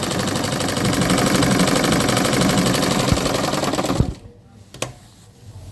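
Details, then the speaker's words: Analog sewing machine just repaired, test-sewing to show stitch quality: quick even clatter of the needle mechanism, about four stitches a second, steady until it stops near four seconds; normal sewing machine operation. "এখন সেলাই দিয়ে দেখতেছেন সেলাই কেমন হচ্ছে আপনাদেরকে দেখাই। আপনারা দেখুন খুব সুন্দর।"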